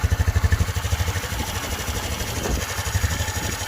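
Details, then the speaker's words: Honda CT125 Trail 125 after fitting a 164cc big bore piston and cylinder, larger fuel injector and 181cc fuel map, first cold start: even, quick single-cylinder putter about three beats a second, smooth with no tapping; healthy cold idle before break-in. "Sounds fine. Nice and smooth, no problem. I'll let this idle for about 5 minutes, just getting it all warmed up."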